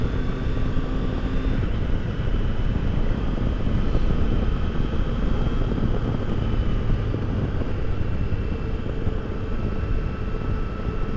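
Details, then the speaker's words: 2022 Triumph Tiger Sport 660 riding past 40 mph after the dealer loosened an overtight chain; only wind roar and a steady engine drone with no whine, whereas before it whined with peg vibration from about 37–38 mph. "Alright, I made it past 40 without having that awful noise. Yeah, everything seems to be back to normal again."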